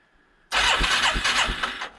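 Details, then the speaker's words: 1989 Yamaha Moto-4 350 single-cylinder ATV, compression test while cranking: three even starter pulses a second with little resistance; gauge jumps only about 50–75 psi on the first stroke instead of about 100, indicating low compression. "what i would have wanted to see with a healthy point in time check was this jump really jump right up to 100 or so"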